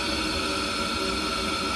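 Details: Ideal Logic condensing combi boiler fan running normally with the PCB connected, meter on DC at the fan's black/yellow PWM wires, 4.9 V DC feed checked: constant airy whoosh, no rattle, scrape or speed surging.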